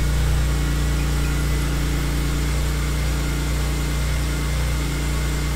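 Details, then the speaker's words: BMW E46 M3 straight-six at its first startup after a VANOS rebuild and bulletproofing, valve adjustment, VAC Engineering exhaust hub and new seals: deep, steady, even idle with no top-end ticking. Normal healthy idle. "this is our first startup and as expected she sounds beautiful"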